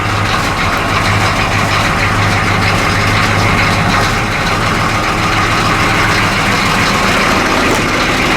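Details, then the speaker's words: 1985 M1028 CUCV with GM 6.2L diesel on its old exhaust before replacement: loud idle with a constant tinny metallic buzz over the clatter. Loose brackets are rattling the crooked, low-hanging pipes. "oh that sounds terrible we got loose brackets listen to that that sounds terrible and it looks terrible all crooked and so low"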